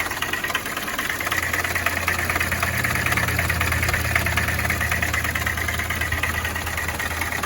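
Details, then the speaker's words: 2019 Winnebago View on a Mercedes Sprinter diesel chassis: a heavy, steady rapping about three times a second over the idle, like a rod knock; the cause is a failed, seized AC compressor. "And we drive another mile, and this thing is just rapping so bad, it sounds like we're going to throw a rod right through the side of the engine."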